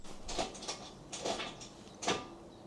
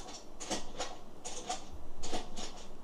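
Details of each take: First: Toyota Aygo MMT automated gearbox, dropping into neutral despite new clutch; during clutch/selector relearn done wrongly (missed ignition cycle), engine started with brake pressed in neutral: three sharp clunks as the gear selector actuator moves erratically, leaving no gears. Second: 2013 Toyota Aygo with MMT automated gearbox that randomly drops into neutral, new clutch already fitted, during clutch and gear selector relearn with a diagnostic tool after ignition cycle: short whirring clicks in bursts, about six in three seconds, as the actuator steps through positions.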